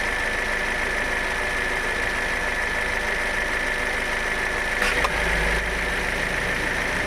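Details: Toyota Innova Hycross at idle: steady faint whine, then one sharp tock about five seconds in as the AC compressor kicks on; new noise, growing more pronounced over time, cause unknown.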